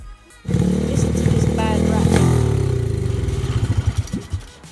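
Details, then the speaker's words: 2004 Xsport Chinese 110cc pit bike running on kickstart: loose uneven metallic rattle from the starter chain detached from the starter motor gear and flopping on the flywheel. "The sound was coming from the starter motor, so I took it off and found that the chain wasn't even attached to the starter motor gear and just rattling around on the flywheel."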